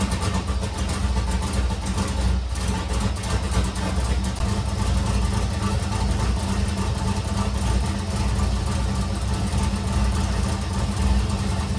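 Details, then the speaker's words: Nissan S13 build after upgrades, alternator now charging and power steering pulley squeak gone; steady even low idle rumble with no belt squeal or chirp; normal idle. "All right, guys, so as you can see from that previous video, the car is running fantastic now. We have the alternator is working, it's charging. There's no more squeaking from the power steering pulley."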